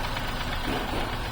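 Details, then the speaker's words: Toyota Passo: rough idle with a steady tractor-like knock and misfire, which started after an oil change from 10W-30 to 20W-50; cause still being diagnosed. "इनका कहना है कि मैंने oil change करवाया है तो उसके बाद इंजन में से आवाज़ आने लगी है, जैसे ट्रैक्टर में से आवाज़ आती है स्टार्ट करने पे। तो ये ज़रा सुने। और ये गाड़ी मिसिंग भी करने लगी है और ऑयल चेंज करने के बाद ये मसला शुरू हुआ।"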